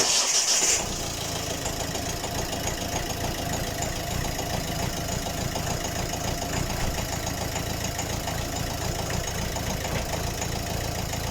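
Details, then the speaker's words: Volvo diesel at cold start: loud rattling knock over idle about three times a second, clattering heavily for a good while, smelly and smoking; owner suspects one or two faulty injectors, replacing all four with refurbished used ones. "vous avez bien entendu comme une claque ne faisait pas l'odeur mail plus et elle fume aussi"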